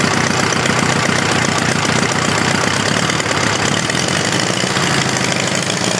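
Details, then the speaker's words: Homemade four-cylinder Briggs & Stratton engine after tune-up with new points, loose belt noted; loud uneven chugging with irregular beat, suspected to be running on only some cylinders. Misfire, cause unconfirmed. "sounds like he's only running off poor cylinders bad buddy"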